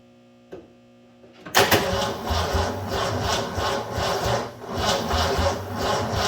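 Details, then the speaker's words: 1984 Ford F250 Bullnose 460 V8: starter churns in a steady low pulsing rhythm for five seconds but it never fires; crank, no start, cause unconfirmed. "Well, hate to say it, but I don't think this thing's gonna run this video."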